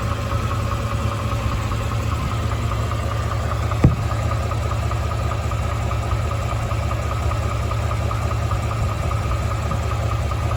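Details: 2017 Ford F-150 5.0 V8 at 27k miles: steady deep idle with a faint, loosely regular tapping around two or three times a second underneath; idle knock, source unclear.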